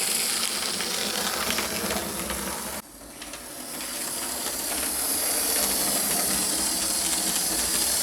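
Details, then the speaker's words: Lima Express Parcels van model railcar after 3D-printed replacement of a broken small gear, lapping the layout track: light even whirring hiss with soft ticking about three per second; runs fine, new gear probably needs running in. "it seems to be all right actually being a new gear it probably needs to get run in a bit of a tank"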